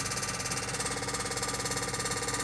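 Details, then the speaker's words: Ceiling-concealed home air conditioner unit loud when running; fast, even buzzing throb with hissy rattle from the fan motor shaking on worn, torn, melted rubber anti-vibration mounts; fan motor vibration noise. "ยางมอเตอร์สึกยางละลายแคปไม่เป็นไรนะไม่แน่ใจถ้าเป็นแค่สตาร์ทได้หรือเปล่า"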